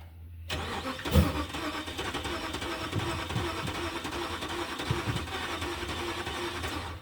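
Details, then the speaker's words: 2006 Dodge 1500 after battery replacement: cranking catches into a rough, uneven idle with stumbles, backfires through the intake and dies; fuel smell, suspected too much fuel. "H. We had it and then it went away. Backfired out of the intake, too. Did you hear that?"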